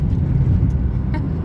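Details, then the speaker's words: 1999 Mazda Protege driving on the road after cleaning the MAF sensor. Steady, smooth low engine drone over light road noise with no stumbles or surges. The earlier hesitation is gone; owner hears a possible pulley starting to squeal when slowing. "i haven't felt it hesitate which it was doing it's running pretty smooth"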